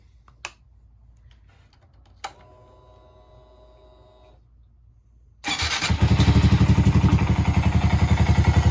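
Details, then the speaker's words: Honda Grom after an intake install: the stock airbox was removed and an open intake fitted. Started after five seconds of quiet, it settles into a steady, even, throaty idle. It runs clean and sounds noticeably louder. "can definitely hear the difference. Sounds a bit louder too. I like it."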